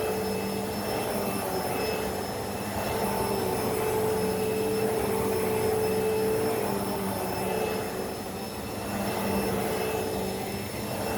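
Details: Hoover Elite Rewind vacuum after belt replacement, test run: steady, even motor whine with constant pitch and smooth airflow rush, brush roll spinning, no rattles or slapping; running normally.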